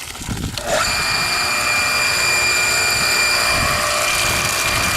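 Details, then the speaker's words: Five-month-old pool pump in backwash mode: motor spins up to a steady high whine with no load change, running but not pumping; owner suspects the impeller has come off the shaft. "motor is running but it is not pumping you hear it it sounds to me like the impellor has come off the shaft"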